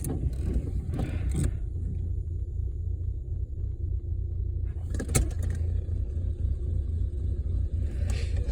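Low, uneven idle rumble that wavers and dips now and then, like the engine wants to stall; still running rough.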